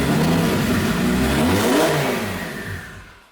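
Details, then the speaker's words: Lamborghini Gallardo, coolant slightly warmed, still idling high: revved to about 3,500 rpm, then the note sags and fades to silence within a second; engine stalls when revved, with crackling from the exhaust at idle. "And it just dies. But it got to 3,500, somewhere thereabouts."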